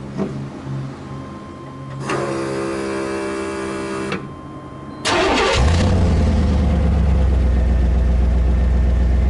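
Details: 1997 Chevy C1500 5.7L V8, truck with a cranks-but-won't-start problem and a fuel pump assembly needing replacement: starter cranks, engine catches with a quick rev, then settles into a steady, even idle with no miss.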